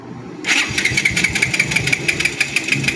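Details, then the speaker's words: Rouser 180 motorcycle after repeated repairs elsewhere (about 6,000 spent): engine catches and settles into sharp metallic ticking from the top end, valve train and cam chain noise. "Nasa 6,000 na tapos namot tapos nangingay ng makina. Maingay."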